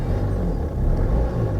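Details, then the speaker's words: Jaguar XE, manual, Ingenium diesel, just started and at idle, engine light on, low fuel and low diesel exhaust fluid: heavy, rough low rumble with a dull uneven rattle. The engine always sounds this coarse; normal. "diesel it's a shame isn't it the old ingenium probably one of the worst sounding engines ever listen to that"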